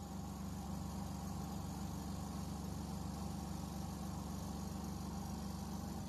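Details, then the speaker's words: Semi-automatic washing machine spin-dry motor after replacing a degraded capacitor (one of two) with a 12 µF one: steady low hum with an even pulse about three beats a second, motor starting and turning smoothly. "这个马达负责洗衣服的正转、反转，这个马达负责脱水的，它可以启动，可以转动。"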